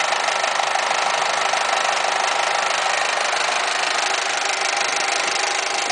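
Idle with a fast, fairly even rattly knock of about three a second over a hissy background while the AC runs; cause unclear.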